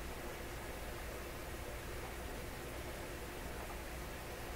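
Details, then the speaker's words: Electrohome Chippendale console tube radio with very low output on AM and FM, after replacing the first capacitor and the tubes warming up: only a faint, even FM hiss with no station and nothing from the antenna; barely any output, owner suspects a tube. "I can hear the hiss now, faintly."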